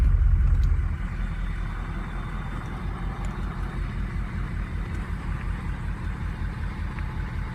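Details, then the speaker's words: Cold start of a truck with an 03 diesel engine: loud crank, then a lumpy idle with an uneven low pulse of about 2.6 per second. VGT has learned and no stuck vanes. Number two injector is failing; number six is suspect. "might be a little suspect to number six right here but definitely number two number two needs to go"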